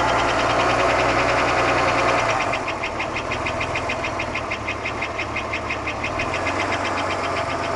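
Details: 1991 Buick Park Avenue 3.8L V6 at idle right after start: a sharp metallic knock at about three a second, very even and the same hot or cold. It began half a year ago and persists with the accessory belt off. Oil pressure and performance are unchanged; origin unknown.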